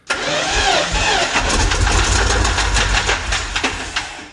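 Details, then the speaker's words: 2003 Chevy van LS 6.0 V8, engine freed with a breaker bar, new injectors, about 50 psi oil pressure: it catches and revs with a rough, uneven deep knocking under the roar; rod knock, and the engine later shrapneled after revving to about 3000 rpm. "well you know obviously it sounded a little rod knocky but it had like 50 pounds of oil pressure so i thought it was all right"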